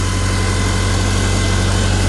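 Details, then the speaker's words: 1955 Farmall Cub after replacing gas-fouled spark plugs that had caused a no-start and rough running. Low, even idle with a steady beat, no misses, knocks or stumbles. Smokes a little, as it long has. Normal idle. "smoking or not smoking they just run and run and run and run but uh yeah I didn't think it was a balanced resis"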